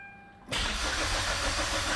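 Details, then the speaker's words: 2009 Hyundai Sonata, towed in, a quarter tank of fuel showing, fuel pump heard priming, battery charger on: starter spins the engine at an even cranking pace but it never fires; cranks-no-start, with no fuel rail pressure found, while tach RPM suggests the crank sensor works. "el gauge does show that it has fuel in it it's not it's about a quarter tank but it acts like it's out of fuel"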